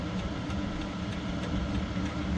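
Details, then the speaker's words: Cheap Chinese diesel heater, warmed up at about 29°, with 13.8 volts showing: even, low, steady rumble with a soft combustion roar and no surging or popping; not smoking, not overly noisy; normal running. "it's not smoking it's not overly noisy"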